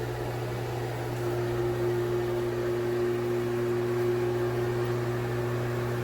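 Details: Broan Heat-a-Vent bathroom exhaust fan (70 CFM, 4 sones, no light; heater not working), with impeller and shaded-pole motor: steady mains-pitch buzz with a constant higher hum over soft airflow. A buzzy fan, but working.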